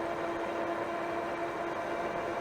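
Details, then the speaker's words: ENGWE M20 e-bike ridden off-road: a steady, even hub-motor hum with a couple of clean motor tones over soft tire rush, and no knocks or grinding. Healthy motor and tire sound. "and I really really like the noise of this the tires with the motor"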